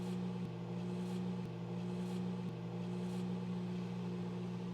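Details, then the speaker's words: Microwave that started running by itself when door opened, before switch repair: about two seconds after pressing start, a low buzz ramps up and holds even as the magnetron powers up and produces microwaves; normal magnetron hum. "so did you hear that about 2 seconds you hear a and that is the magnetron powering up and producing microwaves"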